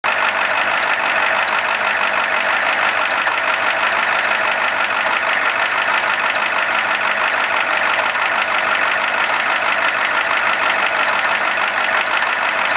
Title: IDI Knocking sound 1.MTS